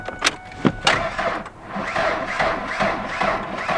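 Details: 1974 Ford F100 Ranger XLT, 390 big block, after storage, crusty old battery being jumped with a vintage Sears charger: a few clicks, then a sluggish, uneven crank of about two to three turns a second that never catches; weak battery.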